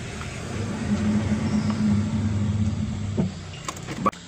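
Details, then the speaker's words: Car rolling slowly while braking: a low, uneven growl or grinding that fades as it stops, from a worn, damaged brake disc that is then removed. "escuchen este ruido que hace el carro cuando escuchar el crujir o como gruñido es como un gruñido"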